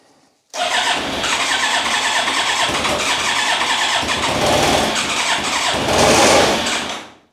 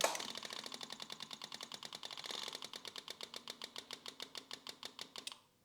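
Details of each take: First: Rebuilt Yamaha YZF1000R Thunderace engine on a start attempt with choke, fuel pump pressurized, after a failed first start: starter spins it in a steady whirring crank for about six seconds without catching or firing, crank no-start. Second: Yamaha YZF1000R Thunderace during rebuild, before a start attempt: rapid even ticking about eight a second that settles and stops as pressure builds; normal fuel pump priming.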